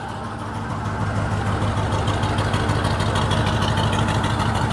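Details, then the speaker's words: 1956 Chevy on its first start, idling with no throttle: quiet but lumpy and uneven, stumbling about three times a second, as if running on five cylinders; it backfires when throttle is added. Misfire suspected, cause not confirmed. "It's running. No gas, it's running. It's so quiet. It sounds like it's running on 6 cylinders, Yeah. 5 cylinders."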